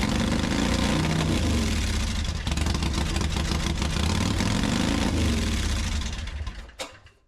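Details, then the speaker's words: Harley Softail: uneven, lumpy V-twin idle with irregular firing and dips, sagging toward stalling; won't idle without throttle and runs near normal only around 2500 rpm. Bad gas first suspected; carburetor cleaned, cause not yet found. "but uh it's got a super rough idle. It actually won't keep itself idling at all. I have to apply throttle to get it to keep idle."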